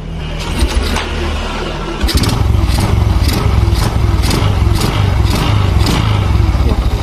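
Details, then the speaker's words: Carbureted Honda Supra X 125 after an engine rebuild, revving with the air filter cover off: a loud, regular clattering pulse over the engine from the noisy top end, which this model is known for; the exact source is not confirmed. "Kalau untuk Supra X125 ini terkenal sekali di bagian boknya sangat berisik, geber."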